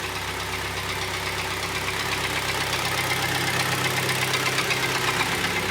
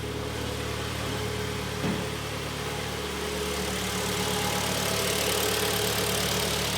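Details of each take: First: Kia Sportage 2012, G4KD 2.0 petrol, 95,000 km, check-engine light on: idles with a steady, fast knock about four a second over a rough, clattery run; severe piston knock. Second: 2012 Kia Sportage G4KD 2.0 at 95,000 km after a rebuild for severe piston knock (block bored): warmed-up idle heard from outside is smooth, quiet and even with a steady hum and no knocking or tapping.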